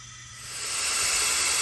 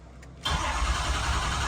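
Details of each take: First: 6.0 Powerstroke diesel with a hot crank-no-start, under an air test of the high-pressure oil system with the valve cover off: a steady sharp hiss of air escaping past an upper injector o-ring on the oil rail. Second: 6.0 Powerstroke diesel truck with a hot crank-no-start, ICP reading around 240–245 while cranking, new alternator: after a brief pause it catches at once and settles into a steady, even idle with no stumbling; normal start.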